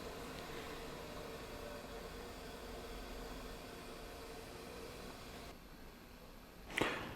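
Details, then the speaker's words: Mamod SE1 static steam engine under restoration, first test steaming, boiler filled to the top: soft steady hiss, no mechanical beat, fading near the end; safety valve weeping steam from overfill. "let's come back in will be safety valve it's weeping i did fill it right the way to the top so it's gonna it's gonna uh do that but i can hear it it's making quite a noise"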